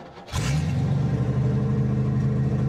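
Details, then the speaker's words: Rolls-Royce Silver Shadow long left in a garden, fed from a temporary rear tank by its own fuel pumps (pump audible at the rear): cranks briefly, fires cleanly and holds a deep, steady, even rumble. "Allez, juste pour le fun, on va la démarrer. Puisqu'elle démarre. Oh là là, on entend la pompe derrière."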